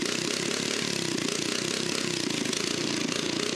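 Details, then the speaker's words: Small engine on a restored toilet-on-wheels abandoned in woods, started after spark plug was cleaned and heated; quick, evenly spaced firing pulses at stable idle, no surging or misses; normal idle. "The SKIBIDI toilet starts. Now the RPM is stable and it sounds healthy."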